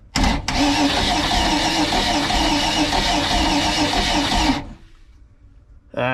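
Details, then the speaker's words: Crusader 454 XL marine engine that sat with water-contaminated fuel, cranking at about three beats a second with spark and fuel disabled and the throttle wide open. Cylinder 1 reads 85 PSI, below the 100 minimum. Low compression. "85 PSI with the throttle blades totally open. That's not enough to fire."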